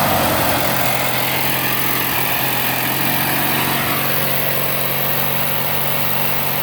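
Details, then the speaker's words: Bolens AJ Foyt 3014H lawn tractor with a Briggs & Stratton 14HP opposed twin, running after a solenoid replacement and rewiring with safety switches bypassed: steady, even quick putter with no knocks or misses. Normal idle. "And it runs. Now I noticed that the RPM gauge is not working."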